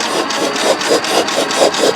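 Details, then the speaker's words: 1941 International Harvester TD-14 dozer, abandoned 25 years, turning over after the clutch was freed: slow even cranking, about four puffs a second, good compression on all four cylinders, but no firing; no spark suspected, magneto to be checked. "All right. Sounds like we got a compression from all four cylinders, too. It's blowing out really well. But I got my spark plugs down here. And I don't think I have spark, unfortunately."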